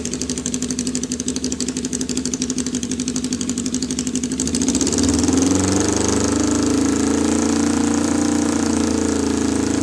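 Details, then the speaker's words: 1979 Kawasaki KZ650 bobber, four-cylinder carbs; fires and idles unevenly with a loping beat, then revs; number four carb leaking vacuum through a ripped carb boot, boot replaced and carbs synced. "we're having a problem sink in the carbs because that number four carb was was leaking vacuum but"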